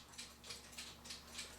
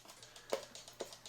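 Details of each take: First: E. Schmeckenbecher cuckoo clock after movement cleaning: steady ticking, then a thin, breathy two-note cuckoo. The leather bellows are sound but their top weights are too light; the fix is adding a coin of weight to each bellows. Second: E. Schmeckenbecher cuckoo clock with weights marked 275 hanging, before bellows adjustment (cuckoo call faulty): light, evenly spaced ticks about twice a second in a quiet room; movement ticking steadily.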